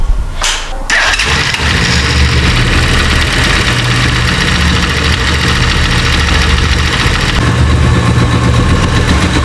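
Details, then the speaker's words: Italika Z-200 motorcycle, right-side engine noise, microphone brought close: starts and settles to an even idle with a loud metallic clatter and cracking on throttle release, rattle from a worn, loose clutch basket/hub, part already diagnosed as bad before replacement. "Como pueden escuchar, pues tiene un ruido fuerte, el cual nosotros ya le habíamos indicado al dueño de que pues estaba mal esa pieza."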